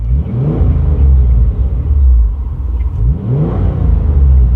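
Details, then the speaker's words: Car just started: two clean blips rising and falling smoothly with a deep rumble and no ticks or rattles; engine sounds healthy. "it just sounds so good"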